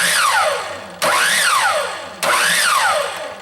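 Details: Craftsman 10-inch miter saw that starts only intermittently: three clean starts, each a sharp rising whine peaking and winding down evenly; faulty trigger switch partially engaging and tripping the brake circuit, replaced. Normal motor start.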